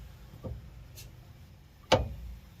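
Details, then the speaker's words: Dodge Ram 2500 jacked up on stands: one sharp, dull clunk as the front wheel and front driveshaft are turned slowly by hand; worn front universal joint, to be replaced. "turn this front wheel see if i can get it to clunk spin this front wheel for me so i can um get this thing to do what it's doing hear that clunk"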